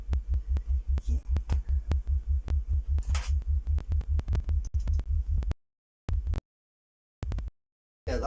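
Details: Speaker after fixing a rattle caused by a loose ferrite core in one crossover, both crossovers done; clean low test tone pulsing about once a second, no buzz or rattle, the speaker plays cleanly.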